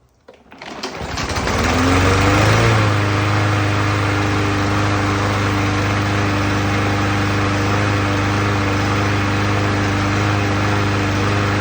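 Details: Briggs and Stratton engine with a no-start fixed by adding tension to the choke flapper, pull-started after sitting a week: fires, picks up in a second or two, then holds a steady, even beat with no misses or surging; healthy running.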